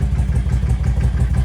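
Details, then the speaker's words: 1998 Yamaha V Star 650 after fuel system work, airbox reinstalled, engine cold and barely choked with idle bumped up: deep, even V-twin pulses revving up cleanly with slight burbling, likely from an exhaust with baffles removed. Revs much better. "yeah you can see how much better it revs up with the airbox and everything in place"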